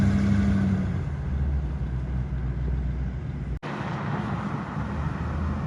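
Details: 1957 Chevrolet 210 sedan with a 350 V8 and Turbo 400, recent mechanical upgrades: low, steady idle rumble with an even beat and no knocks or misses, with a short cut partway; a normal, healthy idle.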